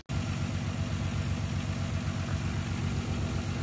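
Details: 1994-1999 Nissan Maxima with six coil packs (three rear, three underneath): lumpy, uneven idle with a low shaky pulse, like a vacuum leak. Misfire traced to a faulty ignition coil pack.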